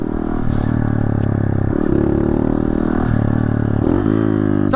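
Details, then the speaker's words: Honda CRF110 mini bike with Grom engine, riding in cold weather about 50°F: fast metallic chatter over the engine from aftermarket footpegs with incorrect springs, rattling because the rider's foot sits under the peg. "That's the foot pegs. Cuz when I got this 110, it had aftermarket foot pegs, but the springs on the aftermarket foot pegs are not the right ones. So they kind of rattle real bad and since I have my foot underneath the foot peg, it gives it that play to rattle."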